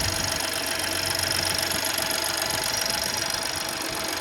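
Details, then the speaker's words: 2017 BMW X5 with N55 petrol engine, high mileage, cold start just after belt, tensioner and idler pulley replacement: the earlier pulley whine is gone, leaving light fast valve tapping over a hissy idle, expected to stop once warm. "My valve's been tapping like that. Once you get all the miles on there, they tap like that."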